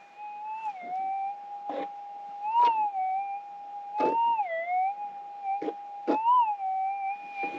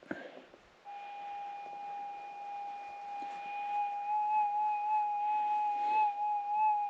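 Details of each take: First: Minelab GPX 6000 in Auto 1 with the threshold turned on manually: steady mid-pitch threshold hum with a rising warble each time the coil passes the target, plus soft handling thumps; a clear target signal. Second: Minelab GPX 6000 metal detector held about four inches above ground, volume up, sensitivity turned down and retuned: steady mid-pitched hum with a faint, gently wavering higher overtone. This is the normal settled threshold, ready to hunt.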